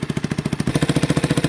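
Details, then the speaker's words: 1989 Yamaha Big Bear 350 single-cylinder ATV, revived after sitting 10+ years, warming up after a cold start: even, steady idle thump with no knocking; possible exhaust leak suspected; it backfires on throttle. "She sounds good. There's no knocking. There's no knocking or anything into her."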